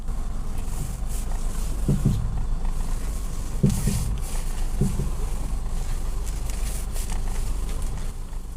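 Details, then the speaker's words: Nissan Juke at steady idle gives dull clunks and creaks as the steering wheel turns; front shocks and member bushings were recently replaced, and the worn strut top mount (shock) bearing is suspected and set to be replaced. "Keluhannya adalah ketika kemudi diputar, terdengar bunyi berderak, teman-teman."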